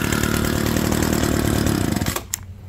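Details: Abandoned roadside hedge trimmer: small two-stroke buzzes at a quick even beat for a couple of seconds, then cuts off cleanly; runs healthy.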